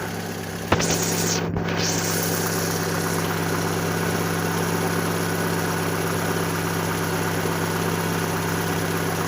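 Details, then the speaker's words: Fiat Panda at operating temperature, started after an oil flush with new oil and filter: after a short start-up noise it settles into a steady, even idle with a constant low hum, no oil light; healthy. "Looking good, looking good."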